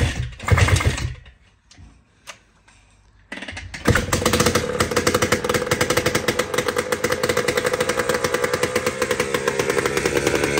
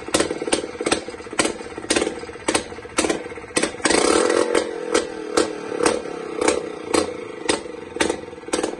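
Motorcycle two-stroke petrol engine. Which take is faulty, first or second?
first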